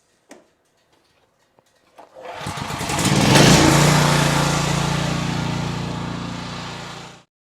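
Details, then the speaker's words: Briggs & Stratton 8750 generator after carburetor cleaning and new fuel solenoid: pull-cord clicks, engine catches, revs up and settles into a smooth, even hum with no leaks; normal running, repair successful. "All right, fantastic. It's running like a champ, no problems. It's doing what it's supposed to be doing, no leaks."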